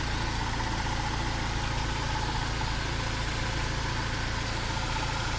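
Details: Mercedes belt tensioner damper that rattled, after cleaning and regreasing its pulley: steady even idle with smooth low hum and no belt-drive rattle; roller no longer moves when revving.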